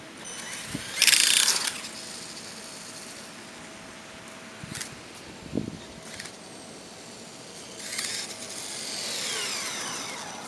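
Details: Mini E-Revo electric RC car: sharp, uneven clicks and ratchety bursts from the rear during acceleration as the motor whines up; persists after replacing rear bulkhead and rear skidplate, cause unknown.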